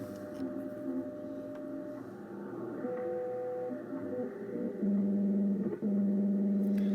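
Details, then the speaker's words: Ten Tec Paragon 2 receiver on WWV 10 MHz in AM mode after a bad AM/FM-board connection was fixed: steady whistling tones jumping in pitch over faint hiss. Suspected synthesizer (PLL) noise plus volume-control feedback, unconfirmed. "Anyway, the symptoms of this are I can get on WWV here on 10 megacycles, and I can go to AM mode, which I am, and I'm still hearing synthesizer noise. So now sounds like some feedback too from my volume control here."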